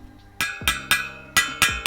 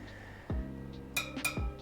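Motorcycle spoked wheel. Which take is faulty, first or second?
second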